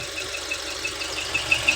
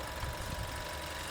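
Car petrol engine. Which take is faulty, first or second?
first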